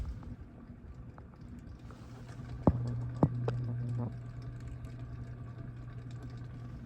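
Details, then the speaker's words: Aloha Breeze ceiling fan from 2005 on high, turning only about 130–140 rpm, heard close up: low motor hum with a scratchy texture and sharp irregular clicks from worn bearings. "Scratchy, clicky sound. It's not going very fast. It's maybe going 130, 140 RPM on high, which obviously is not ideal."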